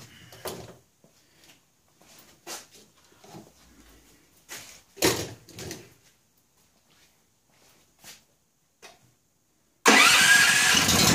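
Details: Honda EB5000 generator with Honda 11 HP engine, just after a carburetor swap, gas and choke on: after tool clatter it catches on the first pull and settles into a steady, even run, a healthy start.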